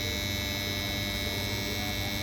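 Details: Capacitor cabinet making strange noise: steady electrical hum with a sharp high buzz on top, constant level throughout; cause unknown.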